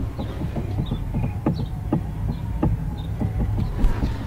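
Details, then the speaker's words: SRT being prepped for the track, steering-related noise noticed while driving: uneven dull low clunks, about two a second; a loose part with play, with a screw underneath that may be tightened to try to stop it. "got a little bit of play now this see a screw underneath I'm not so I'm gonna see if I can make me tighten that up and hopefully make this go away"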